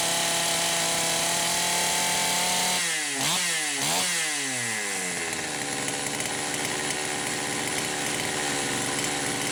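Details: Poulan Pro 525 chainsaw with governed carburetor, screw opened about 1⅛ turns, owner suspected lean, revving at no load: screaming revs stumble and drop twice, then settle lower and rougher; the carburetor governor is cutting in.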